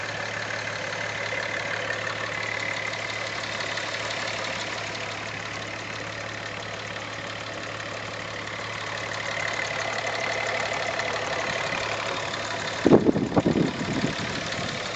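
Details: VR6 just back from the shop, idling with a busy, fast ticking rattle that also ticks when revved, plus an uneven whirring from what looks like a wobbling pulley; cause unknown.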